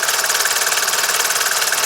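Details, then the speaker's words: Warm Mercedes 601 diesel at idle after hydraulic lifter replacement and flush: the lifter tapping is gone, but a slightly uneven shaking rough idle remains. Injectors are suggested as the cause, with pressure still to be checked. "Ступи пропали. Но все равно мне не нравится, что его немного подколбашивает."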